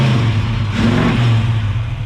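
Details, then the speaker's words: Carbureted petrol engine, after new spark plugs and a new carb gasket replaced one that was leaking fuel onto the manifold: it revs up smooth and even with a steady drone and no misfire. It now runs by itself and runs much better. "So Sam has also been tinkering away with this during the day, and it's no longer making problems. It runs by itself. Fuck yeah, that runs way better."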